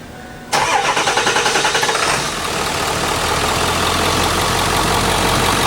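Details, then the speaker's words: Ford 7.3 Powerstroke diesel after reconnecting the under-valve-cover injector wiring harness (code P1316, previously hard starting, misfiring, no power): brief cranking, then clean catch and steady even idle with no stumble; normal start and idle. "issues here we have it the truck's fixed for a quarter well unless you see the be then it's little more than that"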